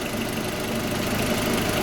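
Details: Audi A4 B6 1.8T after ignition coil replacement for misfire and jerking on acceleration: even, steady idle with soft mid-pitched hum, no stumbles or misses; running smoothly.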